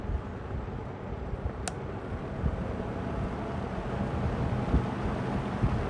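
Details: Lakewood P25 metal-blade fan, bought new around 2009-2010, barely used and never oiled, running in a window at medium speed. A steady whooshing rush of air with an even low rumble, no ticking or rattle; runs smoothly.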